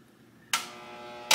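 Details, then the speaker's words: Skutt 818-3 electric kiln just started on a bisque firing to cone 04 with no hold. Two sharp clicks about three-quarters of a second apart over a faint hum: normal relay switching as the elements cycle. "the that's normal that's what it's supposed to do"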